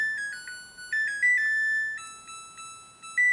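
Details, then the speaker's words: Samsung EcoBubble 8 kg front-load washing machine after baby care cycle: clear electronic chime melody of several short tones in a quiet room; normal end-of-cycle signal that laundry is ready. "can hear the beep. That signifies that the laundry is ready."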